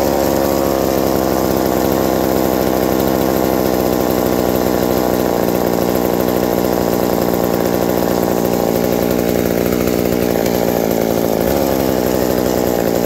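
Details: Reassembled McCulloch 790 MC101 two-stroke chainsaw with an ignition chip and a Walbro WB37 carburetor on a homemade adapter, bar and chain fitted: steady even buzz with no surging or stumbling; idle drops slightly with the chain fitted but runs cleanly.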